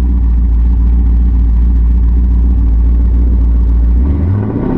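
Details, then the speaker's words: Camaro engine with low oil (down to about 2.5–3 quarts, pan sucked dry at WOT, suspected spun bearing) dies when coasting; on restart it cranks slowly and unevenly, labored pulses, never catches: slow cranking, cause unconfirmed. "see that don't sound right see how slowly it turned over trying to start it that's not normal"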